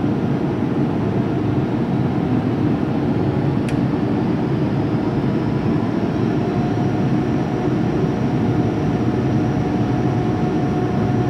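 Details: 2005 Boge 40 HP variable-speed screw compressor, 480 V, 79131 run/1909 loaded hours, running up toward about 105 psi: loud even rushing with a faint motor whine slowly climbing in pitch as speed rises; normal run-up to pressure.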